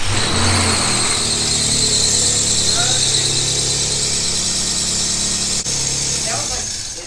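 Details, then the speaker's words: Nissan 350Z bought as a first drift car fires right up on start and settles into a pretty good idle under a steady high-pitched squeal that holds with revs; squealing serpentine belt, no ticking; a sensor issue is suspected. "That sounds good, other than squeaky belt. Fired right up. Idle's pretty good."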